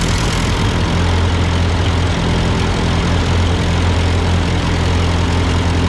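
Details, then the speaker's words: Ford 8N tractor at idle with no load, just after a carburetor adjustment. It had sputtered uphill, blamed on a cheap Chinese carb; an old Marvel-Schebler ran fine. Steady, unchanging low beat, no misses or hunting: normal idle. "sounds good okay all right that's my amateurish attempt to try to kind of adjust this carburetor to this tractor"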